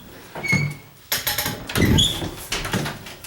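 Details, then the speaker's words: Condo door: short, high squeals with each swing, plus door bumps, from the metal hinge knuckles rubbing, not from contact with the wood. The fix is removing the hinge pin and applying multi-purpose grease, though these hinges are being replaced. "Any of your door hinges that are rubbing, let's say, listen to this door. Hear that? That's because in between the knuckles somewhere, it's doing that. It's not hitting the wood or anything."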